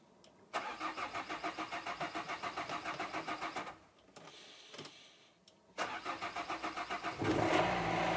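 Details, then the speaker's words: Renault Kangoo 1.5 dCi K9K diesel with injectors leaking back fuel: long steady crank, pause, second crank, then it finally fires; hard starting, usually needing four or five key attempts. "alors ici le problème c'est le démarrage il a une énorme énormément de difficultés pour démarrer donc je vous montre ça de suite vous allez voir que normalement il faut insister beaucoup"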